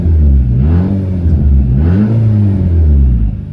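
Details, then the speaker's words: Nissan Juke, fully warm, during a MAF-to-speed-density conversion with electronic throttle control still active. Two quick throttle snaps rise and fall cleanly with no stumble. The engine revs normally. "okay so it revs totally normal"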